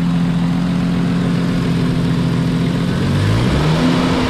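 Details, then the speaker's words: Jeep Cherokee revving while running Seafoam, smoking: raspy, chuffing edge over a low drone from an exhaust leak low down; the exhaust manifold was later found cracked and welded. "clearly has an exhaust leak right down there but the seafoam is doing what it's supposed to do but yeah there's definitely uh i'd have to say an exhaust leak right here"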